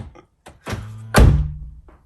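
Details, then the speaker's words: Kia Venga central locking fault (front passenger door often left unlocked): a couple of short clunks, then a heavy thud with a brief low buzz as locking is cycled; rear door lock actuator suspected faulty, to be replaced. "That was weird. And it's showing that it's locked, look. Mm-hmm. I think the actuator is buggered. And it made some strange noise."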